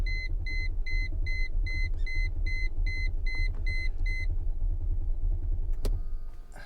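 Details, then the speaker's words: Newly bought auction car with fuel in tank: low steady cranking rumble with repeating chime but engine never catches; no fuel pump heard, owner suspects another fuel pump. "please start please start please start she's not starting is this is this another fuel pump"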